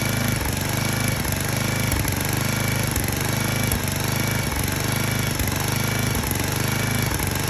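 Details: 34-ton log splitter's small single-cylinder engine, running after fuel line blown clear and brake cleaner used to start it: steady, even chugging beat with a low thump about once a second; normal running.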